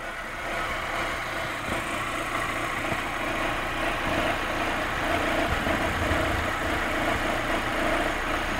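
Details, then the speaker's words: Fiat after timing belt replacement, engine warm at idle: rough gritty scraping over the steady engine note from the timing belt area, only hot at idle; cause unknown. "Vamos a escuchar de nuevo el sonido. Es como si algo raspara."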